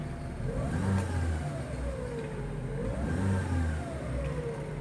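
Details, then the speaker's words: 2012 Chevrolet Prisma 1.4; each throttle blip and acceleration while driving brings a thin chirping whistle that rises and falls with revs over the engine note; chirp when revving, cause unknown. "Quando ele anda também na aceleração, ele faz esse piado, ó."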